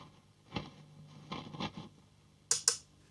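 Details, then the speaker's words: Valve amp master volume, customer complained of scratchiness at 3 and 8, before cleaning: quiet amp with rustling bursts and sharp crackles around 8 on the dial, none heard at 3; dirty scratchy pot, to be cleaned. "Okay, so it's still a little bit of rustling and crackling around 8 on the dial. I certainly can't hear anything around 3. But definitely something at the top end."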